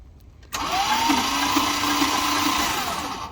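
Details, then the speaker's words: 1978 Dodge Street Van field find, factory starter, spark plugs out, using a battery from a long-unused Dart: weak starter whine with slow, laboring turnover of about three beats a second; the old battery is suspected. "Wow, that sounds weak. Of course, that battery is from the Dart, and Dart hadn't run it forever."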